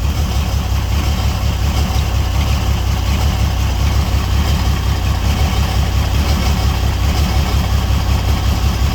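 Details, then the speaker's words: $300 auction car. Steady low idle rumble with an uneven, lumpy beat, like a cylinder dropping out; owner hears exhaust noise but says the motor has a miss and is visibly shaking. Misfire at idle, cause unconfirmed. "See, when it boggles down, it sounds more like the exhaust than like, to me. It sounds more in the exhaust than in the actual motors. The motor's got a miss in there."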